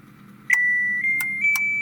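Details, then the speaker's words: Daewoo FRS-U20DCB American-style fridge freezer control board fed 12 volts directly, bypassing its dead power supply: silence, then a few sharp relay clicks and a steady high beep as it powers up normally, proving the rest of the circuitry works. "there we go so that is powered up now and I've just broke the connection um so that tells me that the power supply itself died because the rest of the circuitry is working fine"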